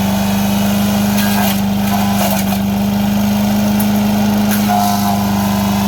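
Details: MTD 5 hp chipper/shredder, owner guesses 1990s-built, running after a carburetor kit replaced the bad carb: small engine holds a steady high drone while chipping a brush pile, dipping briefly as branches load it, then recovering; normal operation under load.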